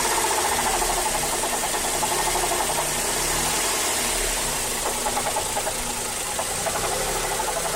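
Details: Mazda3 GT 2.0 at idle: light knocking about three per second from the engine compartment, following engine rpm; source unclear, owner suspects the A/C compressor clutch.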